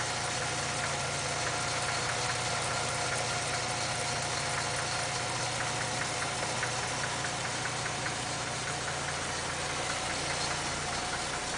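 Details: 1947 International Harvester KB-1 panel truck with an unrebuilt Green Diamond 214ci, cold start at about 35°F after sitting a few days, no fast idle linkage: steady, smooth, unbroken exhaust note with no knocks or misses while warming up. Normal cold idle.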